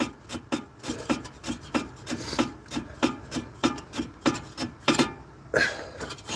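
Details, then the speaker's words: Pontiac Firebird idling, fuel pump drawing from a jerry can: a repeated dry rasping scrape, about 1.5 a second, over a low idle; not piston slap but the fan blades catching the shroud because the core support is bent. "Yeah, that's the fan hitting that because my core support's all bent to shit."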